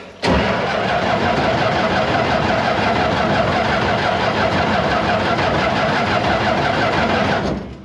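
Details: Barn-find Massey Ferguson 300 combine, six-cylinder, in neutral with choke pulled and a little throttle, 5 gallons of fuel just added, fuel pump heard running: steady starter cranking about three turns a second for seven seconds without firing. Long cranking before it eventually started.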